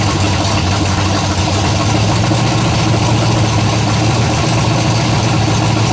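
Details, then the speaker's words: Freshly built 427 big block on a stand, first fire-up after a little warm-up: steady lopey idle with a faint quick tick at cam speed; one valve has excess lash and needs adjusting. "I said I'm still gonna run the valves I can hear one over there"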